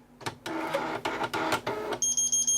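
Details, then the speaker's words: Amstrad DMP3000 dot-matrix printer at power-on: brief mechanical whirring as the print head moves freely, then about seven short high beeps; paper-out alarm with no paper loaded. "okay it's beeping and it's beeping because there's no paper"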